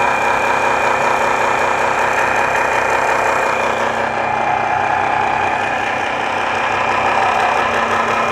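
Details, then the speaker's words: Mixer grinder motor running at steady speed: loud constant high whine with rough rattling buzz, no sparking seen; the rotor/armature has excessive play causing the noise, fitting problem suspected. "यहां पर देखिए जो rotor है इसमें बहुत ही ज्यादा play है यहां पर आप क्लियर तरीके से देख पा रहे होंगे इसमें बहुत ही ज्यादा प्ले है जिसकी वजह से यह आवाजें आ रही हैं"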